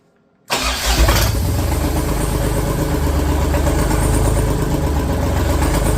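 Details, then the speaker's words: Freshly rebuilt Deutz F3M1011F three-cylinder diesel, first start; catches immediately and settles into steady even diesel clatter with smooth low rumble, healthy start and idle. "I call that a success ladies and Gent gentlemen sheesh I mean that was just immediate freaking awesome awesome awesome I'm happy with that"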